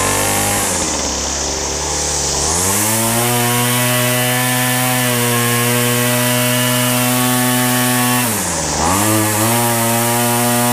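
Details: Weed Eater FeatherLite Plus FL26 trimmer after a new carburetor, fuel lines, fuel filter and air filter, on fresh 40:1 fuel: small two-stroke buzzing high and steady, dipping to idle briefly then clearing cleanly back up to speed; runs healthy.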